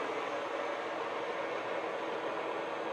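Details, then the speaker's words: Used industrial lathe bought unseen at auction, spindle run at 630 RPM in the high range (630 to 1,800), after the low range at 220 RPM sounded horrible. A steady, even whir with no knocking, clicking or grinding; normal spindle run. "Running great. Sounds fine."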